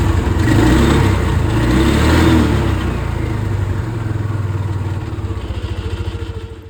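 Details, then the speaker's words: Polaris Sportsman 550 XP ATV started after a new drive belt was fitted: engine catches, revs briefly, then settles into an even idle with a steady low beat. Runs cleanly; normal start and idle. "I'm just going to start it up and make sure it runs nicely."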